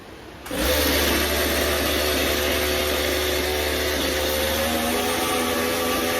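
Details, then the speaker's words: Stihl chainsaw after carburetor clean-out, warmed up a little: fires and settles into a steady, even low idle with no stumbling or hunting; runs clean. "Alright. So that's my low idle. That sounds good."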